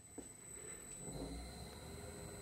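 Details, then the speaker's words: Myford lathe after a new drive belt: quiet, even hum with a faint high whine and no ting-ting ticking or squeaking, since the pulley no longer touches the side of the belt; runs smoothly. "is now silent the pulley on the side is no longer touching the side of the the belt it's not making that that Ting Ting Ting knife is"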